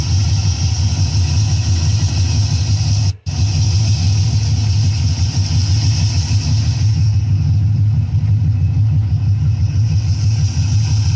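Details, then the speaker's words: 1958 Chevrolet Corvette 3-speed V8 with 4-barrel carburetor, listening at the engine: deep, steady rumble with even firing, no knocks or ticks; sounds sweet, normal running. "So let's listen to the engine here. And then we will get to the exhaust. You got to hear the exhaust on this thing. Oh, it sounds sweet."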